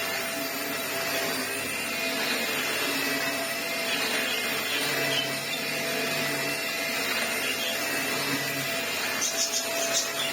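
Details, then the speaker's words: Vax Air Stretch bagless upright corded vacuum, given away on its way to the tip and found with no pre-motor filter, running: even high motor whine with airflow hiss, slight whine, no brush noise; brush roll operating normally. "Vax Airs always do work really well, to be fair. They are deep cleaners. Definitely that brush not making that noise."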